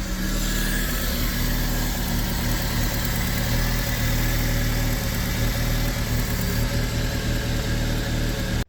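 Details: 2006 Fiat Panda 1.2L petrol idling roughly with a misfire, uneven stumbling beat and clicking heard from one of the ignition coil packs; failing coil pack replaced.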